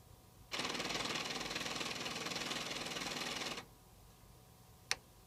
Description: Hello Everyone as you can see i am having a issue with my ps3 it keeps making this weird grinding noise when i try inserting the disk if you could please leave a comment it would be much appreciated thanks